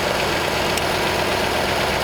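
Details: Flathead engine of a barn-found 1939 Ford convertible sedan, after a distributor fix, catches right off the choke and settles into a steady, even idle with a smooth low rumble, no misses or knocks; normal idle.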